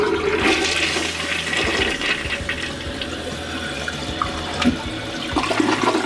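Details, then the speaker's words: Toilet that drained poorly though not clogged, after wire-clearing, flushed with paper towel in the bowl that earlier stayed put: strong swirl clears the bowl in about a second, then steady refill; normal flush, repair worked. "that it's gone in just like a second just like that so i have to say i'm really happy about this"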